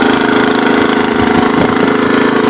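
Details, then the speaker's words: Troy-Bilt tiller with Tecumseh engine, revived after sitting, old fuel drained: small single-cylinder runs even and steady with no misses or knocks, runs halfway decent, normal. "I don't really got any dirt to rototill, but at least it runs halfway decent, so. Sounds really good too."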